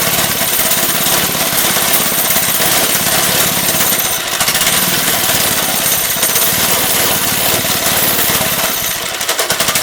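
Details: Lifan 2.5 hp go-kart engine with cleaned original carburetor, choke now off: harsh buzzy uneven beat never settling; running rough but better, owner suspects old gas left in, carburetor leaking fuel.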